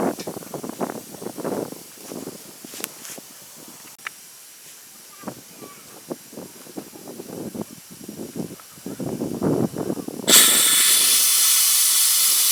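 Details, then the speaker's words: Petrol-engine air compressor at about 90 psi, with crusty debris having come out of it. Clicks and handling, then a sudden steady loud hiss of escaping air; problems with the unloader valve. "i'm having problems with the unloader"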